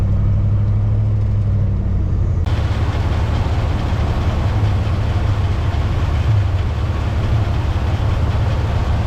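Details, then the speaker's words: 50-year-old truck on a 600-mile road trip, after topping up fluid: steady, deep, even drone under load with no misses, running better and temperature back down to normal. "see what the temp is now sounds like she's running better sounds like she's happier"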